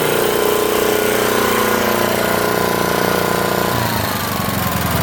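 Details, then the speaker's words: 1972 Montgomery Wards generator made by Pincor, after a carb rebuild, new air filter, fuel line and sediment bowl and a coil swap, with good compression: steady single-cylinder putter with mechanical clatter and no misses. Runs well. "and I'll start it up for you right now it's got pretty good compression on it"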